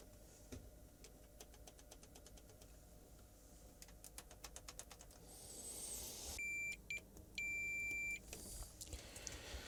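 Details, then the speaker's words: Samsung 55-inch TV backlight strip connections, with corrosion suspected at the contacts: clean high continuity beeps, two short then one long steady tone, every connection now good; backlights still do not come on. "Every single one of these connections is now good."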